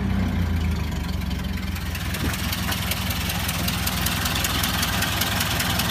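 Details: Ford Model A four-cylinder idles slow with a sharp regular knock on the exhaust beat, gone with spark advanced or cylinder 4 shorted; exhaust leak, rear of manifold gasket disintegrated, noise gone after gasket replacement.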